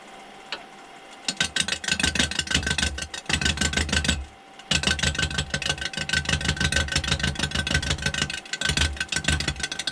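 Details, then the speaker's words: Rapid rhythmic chattering bursts as the gouge clips the corners of a square 6x6 cedar blank spinning on the lathe while turning a lamp; a normal roughing cut taking the corners off. "I'm just touching the corners. As it's turning, you can sort of see where the outside of the corners are, but you can also see where they're not."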